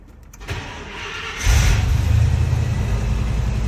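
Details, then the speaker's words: Truck with a 345 four-barrel engine, cold start after sitting about a week, given about three pedal pumps: it cranks, catches quickly and settles into a steady, even low rumble. The engine sounds great. "Just give it about 3 pumps. As you can hear, the motor sounds great."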